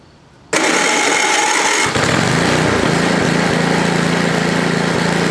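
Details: Ariens ST824 8hp snowblower with bad wheel bearings/bushings, gassed, primed, choke on, throttle stuck at mid-range: catches on first pull and settles into even steady run with no misses, knocks or surging.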